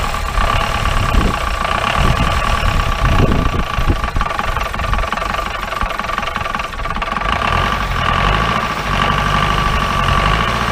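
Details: 1953 Mercedes 170D (W136) four-cylinder diesel, once-seized restoration project, idling after first start: loud, uneven clatter with a ragged, irregular beat and heavy smoke, believed raw fuel; owner leans toward worn injector nozzles and holders, with timing and compression also considered.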